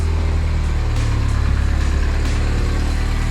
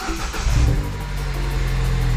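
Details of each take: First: 2009 Mini Cooper S, first start after two years and head gasket, timing, intake, turbo and cooling work; PCV valve not installed, which owner suspects contributes; deep idle with slightly uneven lumpy beat, no knocking: rough idle. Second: 2009 Mini Cooper S first start after head gasket, timing, intake, turbo and cooling repairs, oil pressure about 30: quick blip of revs settles into a smooth, even note with no knocks or rattles; sounds healthy.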